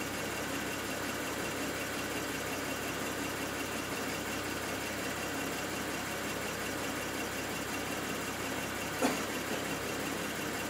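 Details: BMW N54 engine logged with IPNA: quiet idle with a faint, uneven stumble in the beat and one sharp pop near the end, a misfire at idle.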